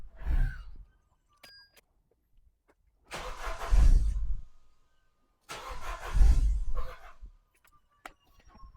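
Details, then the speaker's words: Vauxhall Zafira GSI Z20LET revived after 7 years parked, fresh fuel, airflow meter refitted: three short bursts where it catches, stumbles and dies within a second or two. Owner suspects a vacuum leak and a dirty crank sensor; cause unconfirmed. "Because it was running so rough there, what I've done was I've just unplugged the crank sensor."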